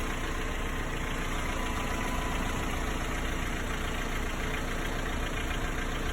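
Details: Hyundai/Kia G4KE engine at 214,000 km on 5W30 oil: loose, uneven tapping at about two per second over a cold idle; disappears once warm and sounds perfect under load; cylinders and head checked fine; cause unknown.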